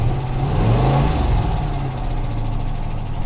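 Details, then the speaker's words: Newly bought cheap project vehicle with suspected bad fuel, dying on acceleration: uneven, lumpy low rumble with irregular pulsing; rough running, possible exhaust leak and idler pulley, owner fears a dead motor, cause unconfirmed. "It sounds like I got a really good exhaust leak too. Okay, that sounds a lot worse than exhaust leak. I think I got a dead motor."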